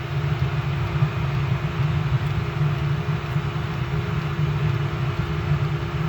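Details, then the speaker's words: Restored Eberspacher BN4 heater, cold start test at 100% full-load cycle: fires right up, even steady combustion roar with low blower hum, no surging or popping; runs cleanly. "All right, let's fire it up. Cold test, 100%. Ooh, fired right up."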